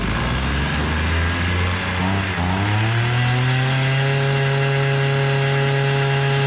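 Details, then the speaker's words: Hyundai two-stroke brush cutter that won't take throttle and spins its head slowly: labours at low revs, climbs only partway then holds a flat drone, never reaching full rpm. Low-rpm bogging; air filter found wet with fuel. "motor devri düşük Bu sebeple devirdi çukurun Galata maçı yormuyor kafa o sebeple dönüyor"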